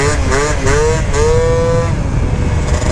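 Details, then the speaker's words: Honda Elite AF16 72cc two-stroke scooter with a SMART carb and an aero pipe, around 295–300 degrees: sharp crisp buzz climbing cleanly through throttle pulls then holding steady, healthy running without stumbles. "oh it's crisp dude this thing sounds like a little like KTM 65 or something dude with the arrow pipe"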